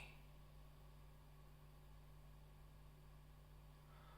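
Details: Dunlop Rotovibe JS-4S pedal in bypass, signal amplified 35 dB, after grounding a floating ground track with a wire to output ground: steady low mains hum and faint hiss, no clicking; quiet bypass.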